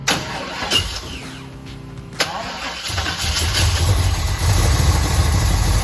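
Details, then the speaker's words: 1969 Chevelle stored for over two years, started with gas poured into the carburetor: cranks, catches after a couple of seconds, then idles unevenly and lumpy. Fuel is leaking from the carburetor bowl, and the carburetor is judged junk. "okay we got a fuel leak looks like it's out of the bowl just another reason to take this carburetor and drop kick it into the freaking dumpster"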